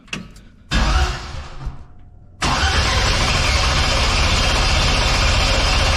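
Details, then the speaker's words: C10 pickup, sat 30 years, swapped from 350 SBC to 5.3 LS with BTR Stage 3 cam, no fuel and wrong ECU, skid-loader battery: click then fast even strong cranking about four beats a second, no firing. "she cranks like a bat out of hell with that skid loader battery on here."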